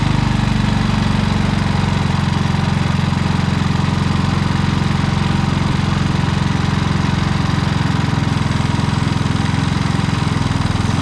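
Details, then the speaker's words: Predator generator with many hours that began surging after a week of running and running out of gas; after adjusting the idle limit screw it holds a steady even speed, no surging. "it was actually just this little idle screw right here with it it uh allows the electronic idle to do its thing but this here keeps it from going too far i adjusted that it runs fine"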